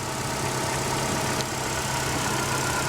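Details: Ecotec four-cylinder car at a salvage auction: steady, even idle with a smooth low hum and no knocking or misses; sounds healthy. Normal idle.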